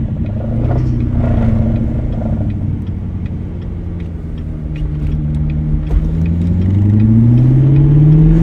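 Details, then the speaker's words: C7 Corvette creeping at low speed, transmission possibly out: deep uneven rumble with clatter, easing into a rising engine note as speed builds; earlier it shook badly and nearly stalled, now better; cause unconfirmed. "it was about to shut off so I'm not gonna do that because I don't want the car to shut off but it is definitely doing better than what it was doing the very first time that I you know try to test the situation"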